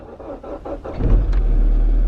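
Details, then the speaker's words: Cold start of a Mini after fixing an EVL fault, engine icy cold: a few quick cranking beats, then it catches straight away and settles into an even idle; clean, healthy cold start. "In the previous video I fixed the EVL fault, so the car should now fire up."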